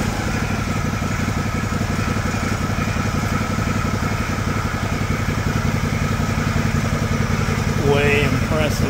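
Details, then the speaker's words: John Deere LX178 mower after carburetor replacement (previously very rich, leaking gas), idle speed screw adjusted down to stop: steady even idle, soft regular beat, no misses, surges or knocks; very smooth, quiet and healthy. "is that the smoothest quietest running Small Engine you've ever heard in your life that"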